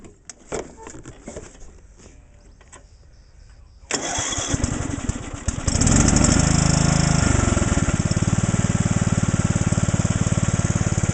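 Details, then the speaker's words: John Deere Sabre lawn tractor cold start, fuel filter already replaced and carb cleaned: catches after cranking and runs with uneven stumbling beat and skipped firing pulses; missing badly, plug and air cleaner to be replaced. "As you could probably hear, that thing was missing horribly."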